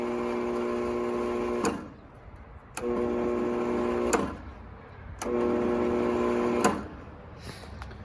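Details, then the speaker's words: 20-year-old, lightly used Bosch 4000 10-inch table saw: the motor runs backwards slowly in short bursts with a low hum and never reaches speed. Some sources blame the motor field, but replacing the failed speed control board fixed it. "it's running backwards and slowly"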